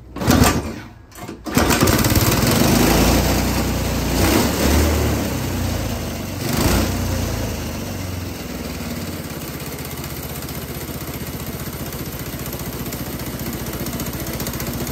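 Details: A GX200 Honda-clone single-cylinder generator engine, converted to run on hydrogen gas and fitted to a go-kart, is run with water added to cool the intake valve and stop reignition. After a few starting bursts it settles into a fast, even putter, which is normal running.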